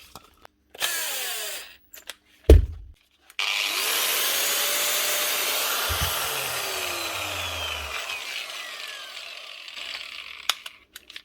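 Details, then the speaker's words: Angle grinder from a fishing boat's repair box, blown out with compressed air and reassembled: spins up to a steady high whine and runs evenly without rattle, switch locks on, then winds down smoothly; running normally. "Switch is going on and locking on. Nothing else sounds bad."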